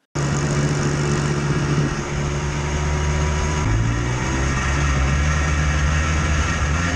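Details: Yamaha Blaster 200 two-stroke quad riding: thin, tinny, bell-like metallic ring over the low drone that worsens as it runs; worn-out crankshaft bearings, thickening smoke suggests adjacent seals failing too.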